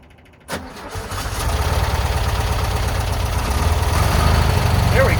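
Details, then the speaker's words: VW Bus flat-four neglected about 30 years, just revived, exhaust refitted: catches and settles into an uneven, loping putter around four beats a second that never quite steadies, almost idling. Rough idle. "go. It's almost idling."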